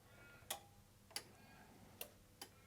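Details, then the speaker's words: Sherwood RV-6030R A/V receiver under repair, as ribbon cable and leads are moved: four sharp, isolated relay clicks and the unit shuts down straight away; intermittent dropout narrowed to these suspected cables or a poor connection. "okay straight away it turned off so i'm thinking it should be any one of these now"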